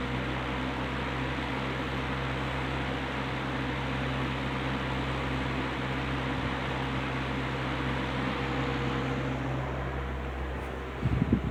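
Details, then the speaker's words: Rebuilt Wizard window box fan (bearing caps transplanted from a Lakewood X 22) in window pulling air in: steady even whoosh with low constant motor hum, no rattle or chatter; strong draft, running smoothly. "It is blowing a tremendous amount of air in. It's creating a a really nice draft."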